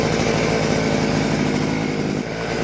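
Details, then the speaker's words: Vevor two-stroke hedge trimmer, choked and started, under throttle: the small engine buzzes steadily but there is no cutter chatter because the blades won't move; jammed, suspected at the gear housing. "I'm giving it gas, but as you can see the blades will not move. It's almost like something is stuck."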